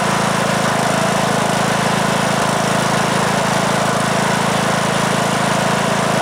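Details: 2003 Simplicity Regent lawn tractor, Briggs & Stratton single-cylinder engine (date code 03, 19 years old) after years unused in a shed; first start after repair: steady fast idle, even beat, starts easily, runs okay but blowing a lot of smoke.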